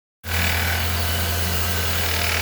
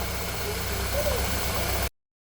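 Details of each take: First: 2013 Ford Fiesta Zetec Rocam engine: steady idle with metallic chattering rattle, thought to be timing chain but caused by worn auxiliary idler pulley bearing; fixed by replacing it. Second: 2013 Ford Fiesta Zetec Rocam engine after replacing auxiliary idler pulley bearing: steady even idle hum, no chain-like rattle or ticking; problem resolved.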